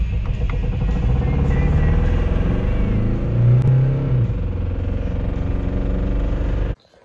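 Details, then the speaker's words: 2006 VW Jetta TDI 1.9L Pumpe Düse (BRM/BEW) with low power and check engine light, valve cover off: uneven rapping clatter over idle drone from a camshaft lobe that broke a lifter; cam and lifter failure. "if uh the cam has busted a lifter on one of the valves you can hear it"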